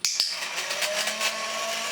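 Two quick clicks, then a thin, steady high motor whir with slight pulsing; the small motor is running evenly as it should.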